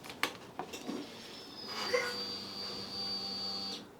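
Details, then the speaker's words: Yamaha FZ6 after rebuild, key on before first start: faint steady high whine for about two seconds then cutoff, the fuel pump priming normally. "so I don't know if you could just hear that but the fuel pumps just primed up so fingers crossed we'll go for a start see what happens"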